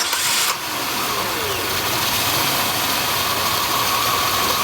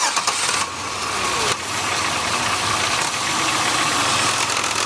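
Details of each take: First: High-mileage Oldsmobile 3400 starts after the alternator, found loud by stethoscope, was addressed: catches quickly and settles into a steady even idle with no rattle or knocking. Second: Oldsmobile 3400 engine with high mileage at idle: busy metallic rattle from the belt drive, loudest at the alternator by stethoscope; loose alternator pulley chattering.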